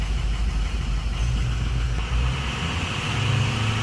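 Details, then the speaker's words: Ford 6.0 Powerstroke diesel with 190,000 miles, after being fixed following a breakdown: started a little rough, then deep, steady diesel clatter at idle with even beat and no stumbling; idles normally. "oh yeah started off a little rough but now I think we're okay"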